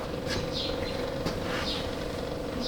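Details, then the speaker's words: 2013 Steiner 440 air-cooled tractor, crank no start with no fuel delivery: after replacing a fuse, possibly 30 A, a faint steady hum is heard as the in-floor electric fuel pump primes and runs. "oh oh I hear it boys I wonder if that's supposed to be a 30 amp fuse here the fuel pump"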